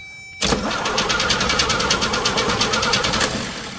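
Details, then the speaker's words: Jeep CJ5 revived after 12 years sitting, wiring faults, cranked via power probe: engine turns slowly about three beats a second, drags, fades after three seconds without firing; starter suspected failing. "We have two problems. One starter is going out. It cranks slow then stops."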